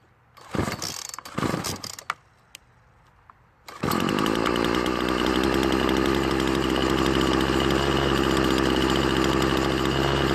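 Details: Poulan Pro trimmer after refitting a new carburetor diaphragm whose gasket had been installed on the wrong side: fires after some handling and holds a steady high buzzing run with no surging or stumbling; running properly.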